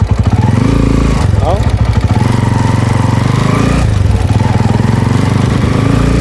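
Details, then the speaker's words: Honda TMX 155 motorcycle on test ride before overhaul: rough, uneven rattly beat rising with throttle over a steady drone, unlike a normally smooth TMX 155. "magaspang siyang patakbuhin mga kabro h sa gaya ng mga TMX 155 na smooth tumakbo ito magasang siyang tumakbo"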